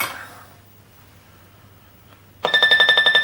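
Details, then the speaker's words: Aristocrat MK2.5 video slot machine board after repair, ROM board refitted: after a quiet pause a bright ringing tune starts with quick even pulses, about four per second; normal startup showing the game works. "It's up and running again. All right. So yeah, as soon as you hear that, that's what it means. The game is working."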